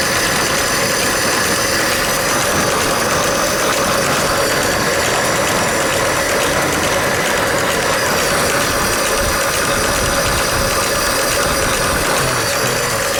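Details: 1905 Mitchell D2, 300 CI inline four-cylinder, 35 HP, 3-speed manual, low mileage, once sat in a flood; owner worked to eliminate vacuum leaks. Steady even idle with smooth ticking rhythm, no misses or stumbles; sounds perfect.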